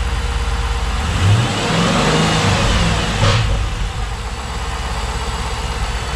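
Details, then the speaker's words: 2010 Dodge Challenger SRT8 V8 first start after installing a Volant closed-box cold air intake: deep rumble revs then settles to a smooth, even idle, no knock or misfire; slight backfire on first start. "I'd say she likes it. Yeah, that sounded good."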